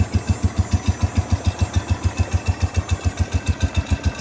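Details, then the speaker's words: Cub Cadet 105 lawn tractor with 42-inch deck, cold-started about a minute earlier: steady, even single-cylinder thump at idle with no misses or knocks; healthy normal cold idle. "that's about a cold start I just started about a minute ago"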